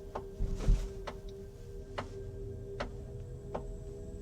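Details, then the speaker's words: Kia EV5 GT-Line, Australian export model, crawling through a parking garage: sharp ticks about once a second over a quiet hum, like something tapping on the roof or side of the body. Tapping noise while driving, cause unknown. "소리 들리시죠? 딱 딱 딱 하면서 누가 지붕에서 차를 옆이나 위에서 뭘로 이렇게 툭툭 두드리는 거 같은 약간 그런 소리가 납니다."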